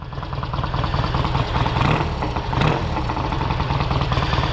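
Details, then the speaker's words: 1968 Triumph Bonneville 650 twin cafe racer with race mufflers, just kick-started, idle bumped up, out of gear on the centre stand: loud, deep, steady idle with an even lumpy beat, slight primary fluid drag, no knocks or misses; normal idle. "We're definitely not in gear. That's just a fluid drag from the primary there. It's loud."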